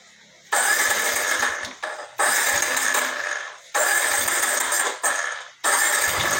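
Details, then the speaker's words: Yamaha NMAX 155 (old model) with error code 61, idle speed control (ISC) fault, after carbon brush replacement: four bursts of running that rise then sag and stall whenever the throttle is released; hard to start, runs only on held throttle. "nah motor ini susah nyala dan untuk hidupnya itu selalu ditahan gas ketika diturunkan gasnya e kita lepas gasnya seperti ini nah motor akan mati"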